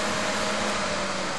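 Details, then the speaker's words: 2004 PT Cruiser with overheating problem, after repair, low-side relay open: steady even whir with constant low hum, no rattle or scrape; cooling fan now runs on low speed, previously had power but didn't run. "Okay, now I got the relay on the low side open, and hit the switch, and we got power to the fan now. Now the fan works on low side."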